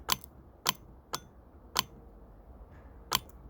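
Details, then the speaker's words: Secondhand A/C compressor off a Land Rover Freelander TD4 Sport, bench-tested by touching negative with a wire connector on the positive pin: sharp metallic clicks, five or six in under four seconds, as the clutch pulls in cleanly; normal clutch engagement. "see let's just get that back on there spin it and it looks that means the clutch is working in the AC pump you can hear it yeah you might go see it moving yeah that's how you check an 8-second hand AC pump"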